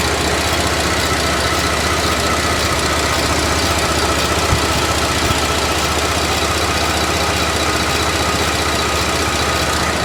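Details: GDI engine idling, mic held close, timing chain link wear from sooty oil suspected: busy idle with light uneven metallic ticking and rattle; source not pinned down.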